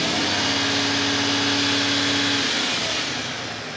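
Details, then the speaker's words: Restored 1983 ERF diesel truck during a full-rev free-acceleration emissions test with probe inserted. It holds a steady, clean high note, then eases back smoothly; passed on the first rev. "okay okay that's good in this instance it's passed on the first rev great news"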